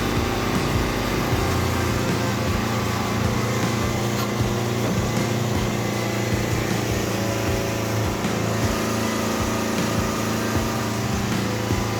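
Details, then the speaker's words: John Deere 70 skid steer in cold weather, after ignition rewiring to a starter button and fitting used rams: steady even idle, no misses or surging; no leaks, healthy and ready to work. "well about time we got her all good she's nothing leaking uh she's ready to work"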